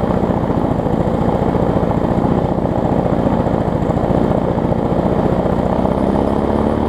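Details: Murray push mower fitted with Bolens parts after a rebuild from two mowers: steady single-cylinder buzz at constant fast speed, no misses, surges or knocks; normal running.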